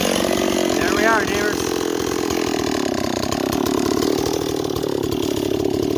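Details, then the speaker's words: Stihl 026 two-stroke chainsaw with an 18-inch bar instead of a 20, flying through hickory: revs high and steady through the cut with an even buzz, no misfire or bogging; sounds healthy. "uh it cuts it cuts too slow for me in the Hickory with a 20 in with a 18 it flies right through [Music] wood"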